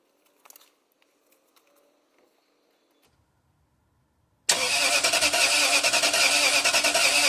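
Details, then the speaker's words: 2005 Toyota Sequoia V8, towed in with a new battery: the starter spins the engine evenly but it never catches, with no ignition or injector control even after an ECU reset; immobilizer issue suspected, crank no start. "all right so nothing changed no control here again um so I am betting that we are going to be dealing with an immobilizer issue here"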